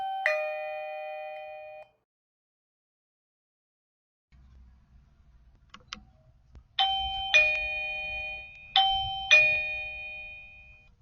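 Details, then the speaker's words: Eufy dual camera battery doorbell with home base, just installed, power restored, button pressed: clean two-tone ding-dong from the indoor chime, then paired chimes from doorbell and home base; chimes working normally. "What you first heard was the chime in here. You're also hearing the chime at the door. And you also hear the chime from the home base."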